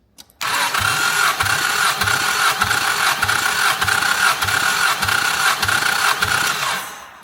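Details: 1988 Chrysler Conquest (Mitsubishi Starion) turbo, 77k miles, sat 10 years, compression test on fourth cylinder: even cranking with steady beat about every 0.6 seconds, no start; reads about 102 psi, normal.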